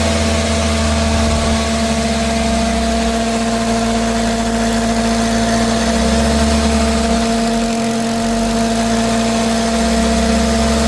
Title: Concerns for car humming noise. very load. car not fixed.